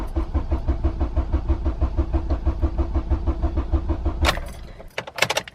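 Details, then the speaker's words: Honda Civic EP3 after replacing the idle air control valve (code P1519): steady starter cranking about three beats per second for four seconds, engine never catches; crank no start, owner suspects blown fuel pump fuse as before. "this happened before last time, it wouldn't start, and that is because the fuel pump fuse had gone, so I'll probably have to change that again."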